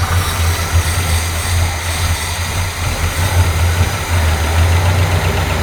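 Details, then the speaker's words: Abandoned 1971 Pontiac GTO V8 just started after sitting about 12 years: deep, even burble with steady low rhythm and no misses or knocks; idling smoothly. "isn't that great sounds beautiful all right guys you just saw that car start after sitting for what 12 years"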